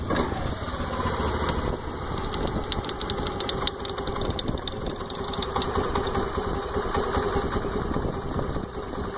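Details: Honda Activa 125 scooter with only 115 km on it: idles steadily with a light, quick clicking on top; the owner doesn't know where the click comes from.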